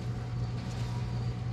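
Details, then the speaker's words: 2001-2005 Honda Civic rear wheel after hub bearing assembly replacement, car jacked up, wheel spun: steady smooth low hum with normal drag, no growl or roar; new bearing healthy. "drag when that's normal but I don't have that loud bearing noise like I said obviously"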